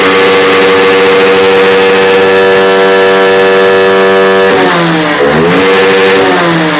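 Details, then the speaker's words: Honda X-Blade motorcycle with low pickup, running with the local aftermarket air filter removed: clean, free revving to 11,000 rpm at full throttle with no stumble; the local air filter was choking the engine. "பாருங்க வண்டி பக்காவா full throttle 11000 rpm வரைக்கும் போகுது"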